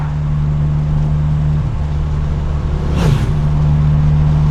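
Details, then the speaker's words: 1997 Honda Civic DX D16Y7, Y8 intake, budget top-mount turbo with no blow-off valve, near 10 psi boost, pull in first gear: steady low engine drone with a brief fluttering whoosh; compressor surging, hard on the cheap turbo. "Um, anyway, you guys can hear how much that turbo is surging. Sounds cool. Not good on the turbo. We've got a cheap turbo."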